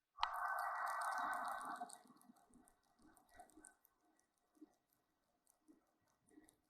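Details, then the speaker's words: Hub being turned by hand during drive shaft and hub disassembly: a rasping scrape, then soft gritty crunches and clicks from very dry, notchy wheel bearings. "they're very dry bearing a horn bearing which is fine I have new bearings"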